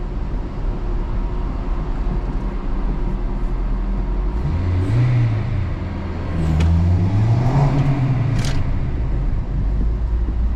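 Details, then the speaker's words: Acura RSX test drive after tightening lug nuts found loose, which caused a weird rear noise: steady low road and engine rumble with no clunking or knocking from the wheels. "let me test drive it I think that was my issue all right so let's uh test drive it [Music] and it is good"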